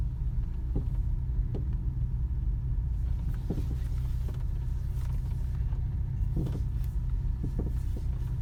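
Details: Skoda Octavia A7 driving slowly through turns on a level surface: low road rumble with scattered dull knocks about every second from the front suspension.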